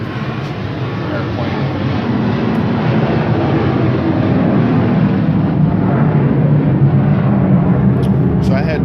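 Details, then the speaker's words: Engine found with bone-dry dipstick, smoke from dipstick hole and valve cover, two quarts added and still barely on dipstick, idling in street: rough idle, uneven knock three to four per second with squealing; rod knock. "so left the thing were idling out in the street because it was still squealing away still knocking bad sounds like you shut this off now it's gonna cease"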